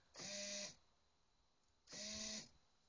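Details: Ford Windstar van rear passenger sliding door: two half-second electric buzzes, one per remote lock press, traced to the door lock actuator motor.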